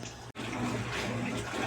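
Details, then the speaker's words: Consul 12 kg washing machine, in for a leak, first test after repair: steady rushing and splashing water with low even hum, no knocks or buzzing; inlet valve fills normally to first level. "vou tá botando ela aqui para encher certo fazer aqui os primeiros teste aqui para encher vávula Tá ok certo"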